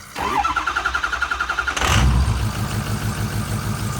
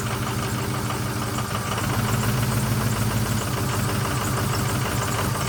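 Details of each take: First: 2006 Ford F350 6.0L Power Stroke diesel after a new Motorcraft fuel pump, fuel air purge and key cycling: brief even cranking, then it catches and settles into a steady, smooth idle; it previously had no power. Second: 2006 Ford F350 6.0L Power Stroke diesel, parked 2 years, after new fuel pump and sending unit: idling with uneven lumpy beat about three and a half pulses a second; rough running, owner suspects air in fuel.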